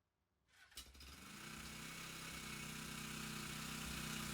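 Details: Suzuki GS450 café racer after clutch rebuild for stuck clutch plates: engine catches and settles into a steady, even idle with a smooth regular beat and no clatter; running healthy.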